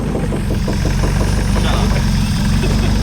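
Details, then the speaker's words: Freshly swapped Nissan KA engine, first start after fluids added: deep, slightly lumpy, rattly idle sitting a little low; timing had to be adjusted. "It is idling a little low. KAs, like, I love them, but they just sound a little rattly, always."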